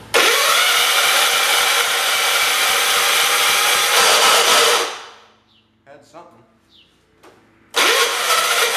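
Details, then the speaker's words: John Deere 212/112 garden tractor with newly fitted carburetor: fast whirring crank winds down without firing, then cranks again; starter catching instead of spinning cleanly, owner suspects it may be hitting something, unconfirmed. "it's getting caught on the starter for some reason I think it might just be hitting this I'm pretty sure that's all that noises might be"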